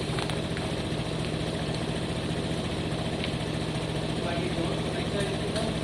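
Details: Piaggio Fly 125cc scooter after an oil leak fix and draining half a litre of excess oil, idling with a steady, even single-cylinder putter and no knocks or rattles; a clean, healthy idle.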